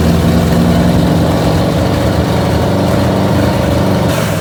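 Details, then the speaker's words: 1969 Pontiac GTO 400, 3-speed, idling after its first start since sitting from 1978: a deep, loose burbling V8 idle with uneven low pulses but no knocks or ticks; it sounds good. "sounds good yeah dude it sounds really good but just idling dude"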